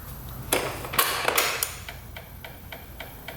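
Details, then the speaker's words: 2007 Honda Metropolitan scooter, fuel line off the carb: light, fairly steady ticking about three times a second as the fuel pump runs but delivers no fuel, starved by a kinked line to the filter. "Yeah. What the heck? H, that's weird. I can hear the pump going."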